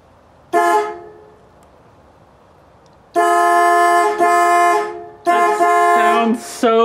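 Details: 1965 Ford Falcon after steering column repositioning, first time hearing the horns: loud, clear two-tone honks in short and long blasts, strong and steady; horns work, though a horn button contact issue is suspected.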